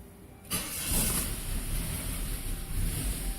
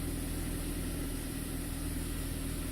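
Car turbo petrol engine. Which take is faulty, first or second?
first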